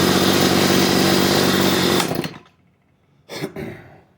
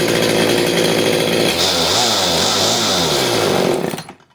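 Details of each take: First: CS310 chainsaw at idle, chain kept spinning despite turning down the idle screw; idle drone cuts out abruptly when the chain brake is applied, indicating a dragging clutch rather than a carburetor problem. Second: CS310 chainsaw whose chain kept spinning at idle, after the clutch spring was fixed and the low jet screw reset. It comes down from a high buzz to a slightly hunting idle before shutdown. The idle sounds normal, and the chain no longer spins.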